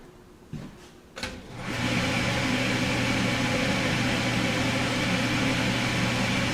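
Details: Autoclave steam sterilizer after about half an hour of sterilizing, release valve flipped: a couple of clicks, then a sudden loud, steady rushing hiss with faint hum; normal steam venting down to one atmosphere.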